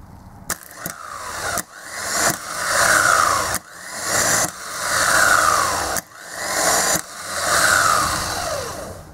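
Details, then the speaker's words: Mitsubishi Pajero/L200 2.5 TD 12-tooth starter motor (OEM replacement), bench-tested with power to main and small terminals: three whirring runs rising then sagging, no engagement clunk; pinion throws out and spins, bendix pinion slipping, fix is replacing pinion. "again and as you can see the pinion comes out and Spins away it it doesn't actually dis engage it's just the fact that this pinion is slipping that's where the problem arises from"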